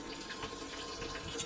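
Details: 2023 Baby Stabi 1550 Frontier boat, bait tank pump running: even splashing and gurgling of water pouring in, no straining or rattle; bait tank filling properly.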